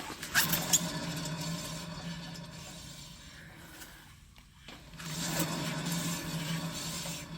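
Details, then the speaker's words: 2007 Toyota Camry Hybrid front wheel spun by hand on a lift: a low, steady rumbling hum that fades and returns on each spin. It is a bad wheel bearing despite no play, causing humming while driving that is louder when cornering. "okay guys this is absolutely clear I don't know why somebody will tell you now this is way too it's is over my pay grade I I can't deal with this it's clearly wheel bear"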